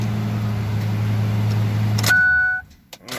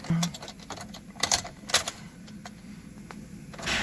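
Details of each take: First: 2005 Ford F250 6.8L V10 3-valve, 599,000 miles, after replacing ignition coil pigtail for P0354 misfire: steady even low idle rumble with no stumble, a ton better; normal idle. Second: 2005 Ford F250 6.8L V10 3-valve Triton, 599,000 miles, won't accelerate: after start, low idle with uneven lumpy pulse and shaking, camera on steering wheel; misfire at idle, later codes P0354 coil D.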